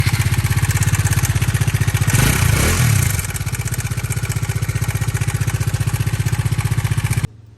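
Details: Bajaj Dominar 400 BS6 engine: fast, even thumping idle with light mechanical clatter on top, swelling with a blip; untraced top-end rattle, with timing chain, camshaft and crankshaft complaints mentioned but not confirmed.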